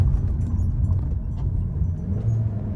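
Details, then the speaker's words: 2012 Hyundai Elantra after replacing misfiring cylinder 3 ignition coil, driving: even, deep engine rumble pulling through the gears, no misses or stumbles; all cylinders firing cleanly, running normally. "Really nice. All cylinders firing up. Car is acting really good. No complaints."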